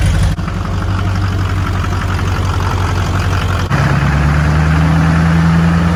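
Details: Shorty Duramax diesel truck, first start-up after a complete frame-off restoration: deep, steady idle with an even low rumble and one small settle in speed, no knocks, misses or leaks; healthy-sounding engine.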